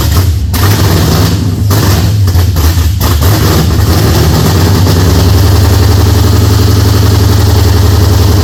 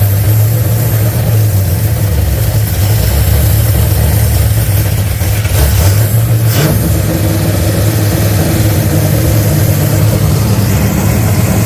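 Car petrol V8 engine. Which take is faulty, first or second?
first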